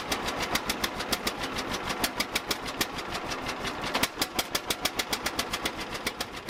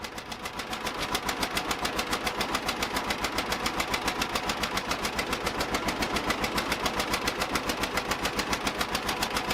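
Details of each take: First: 1950 John Deere Model A, first start after about six years sitting; plugs were wet from flooding, blown off and refitted: slow, sharp, uneven exhaust popping about six beats per second as it catches; rough running after flooding, small manifold-to-pipe leak. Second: 1950 John Deere Model A two-cylinder tractor, a barn find run for the first time in about six years: slow, even popping beat of about three and a half firings a second, idling smoothly; small manifold-to-exhaust-pipe leak noted.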